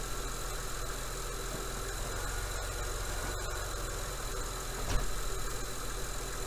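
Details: 2003 Honda Accord V6 (J-series) with code P0747: steady low idle, then a single dull thump as reverse engages, a harsh shuddering jolt from park or drive into reverse. Dirty linear solenoid suspected, not yet confirmed.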